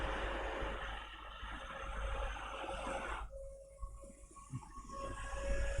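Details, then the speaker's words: HP PS-4241-1HD power supply fan after lubricating with Loctite multi-spray, run on a bench supply: steady, clean mid-pitched whir with no rattle or scrape; formerly seized fan now spins fast and smooth. "As you can see, it runs really good now, fast and smooth."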